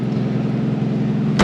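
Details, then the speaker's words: 1984 AMC Eagle, just started; fast, raspy idle with sharp puffing from a bad exhaust leak, idle unexpectedly high, still runs. "So as you can hear, it has a pretty bad exhaust leak, and the idle's like really high for some reason, but"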